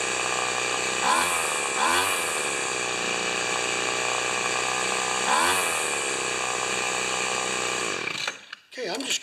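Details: Cheap two-stroke weed trimmer after carb mixture screw adjustment and tightening primer bulb screws; carb spray no longer changes running: steady high buzz, no dips or surges, well above normal idle; idling too fast.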